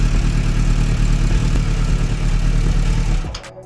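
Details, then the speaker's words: 1996 Suzuki Bandit GSF600S after carb rework, started with the starter button only, no choke: catches quickly and runs a steady, even low burble. Starts much easier. Normal start and idle. "Okay. That started way easier though."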